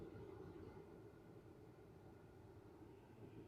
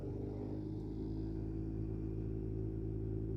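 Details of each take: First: 2013 Ford F-150 blower motor after removing a fallen blend door piece that caused rumbling with AC on: only soft, steady air rush, no ticking or scraping; blower fan now runs quietly and normally. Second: 2013 Ford F-150 with the AC on: steady, heavy low rumble with a slight pulsing beat from the blower fan behind the dash, heard at any fan speed and caused by debris in the fan.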